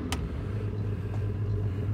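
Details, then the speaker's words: 2015 Whitmarsh RS7 RIB, Evinrude G2 E-Tec High Output 200 hp petrol outboard revved in neutral: strong low rumble holding steady as revs rise, no rattles or misses, sounding healthy. "So if I put the engine into neutral, press the neutral button, put it in gear, just give it some revs, just in neutral,"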